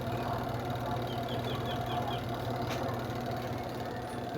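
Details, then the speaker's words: Washing machine spin dryer, loaded with clothes, after repair of a creaking complaint: it spins with a steady, even low drone and no creaks or squeaks. "Spin natin. Ayan. So wala na yung langitngit guys. Wala na yung langitngit."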